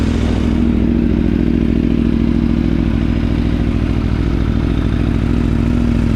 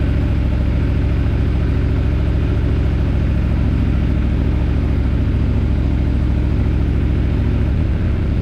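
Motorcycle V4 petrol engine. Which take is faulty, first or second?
first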